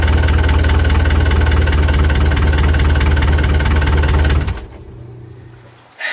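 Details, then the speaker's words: Perkins 4.108 marine diesel on a sailboat out of the water, test run after rebuilt starter/solenoid and rebuilt fuel injector pump: steady, even clatter for about four seconds, then shutdown, no misses or knocks; normal running. "And then we did a test run, and I'll show you that on the video."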